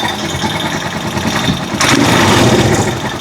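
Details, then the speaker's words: Rusi Chariot 175 trike, about three years old, once submerged in water, engine never had problems: quick, fairly even single-cylinder idle putter with a brief rev near the end; very quiet, healthy, needs only a tune-up. "Yan, napaka-tahimik ng kanyang engine."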